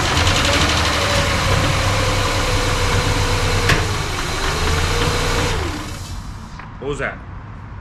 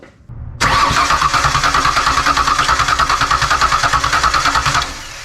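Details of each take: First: Rebuilt Ford Ranger 4.0 V6 with new injectors, first start: the rough-running engine fires with one sharp pop partway through, then settles lower. The fuel rail was found loose after the pop, and the owner suspects a backfire from too much fuel. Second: Rebuilt Ford Ranger 4.0 with plugs in but no spark, intake off, cranking to check for sticking: starter spins engine at steady three beats per second, every compression stroke even, no hang-up on any cylinder.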